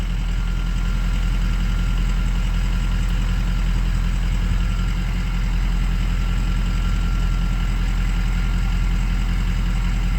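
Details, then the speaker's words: 2003 Ford 6.0 Powerstroke diesel with weak FICM (about 44-48 V) suspected: steady even low clatter at idle, no dropouts or stumbles; intermittent misfire currently gone, normal idle. "but now the misfire is gone misfire's gone right now"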